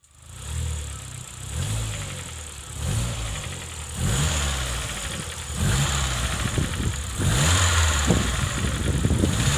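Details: Vauxhall Corsa VXR petrol engine blipped repeatedly, with a rough knocking rattle under each rev rise, also smoking; teardown found all four connecting rods bent, and it was later rebuilt with +0.5mm Wossner pistons and PEC rods.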